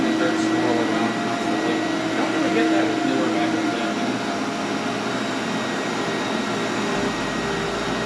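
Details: SC Johnson Vectron (Iona) vacuum with roughly 20-year-old motor and beater-bar brush roll: steady roar with a thin wavering tone from the spinning brush roll; motor sounds good, owner suspects roller bearings, rebuildable.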